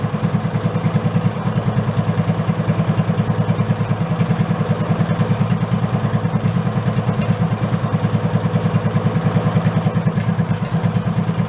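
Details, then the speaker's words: Go-kart with a 16 hp single-cylinder engine replacing a 5 hp one, stock air cleaner fitted: a slow, lumpy idle of about three beats a second with a dry clack each beat. The idle is set too low, so the decompression valve engages; RPM must be raised. "Going down so low, the decompression valve is kicking in. I can actually hear it clacking. You gotta go up a little with the RPMs."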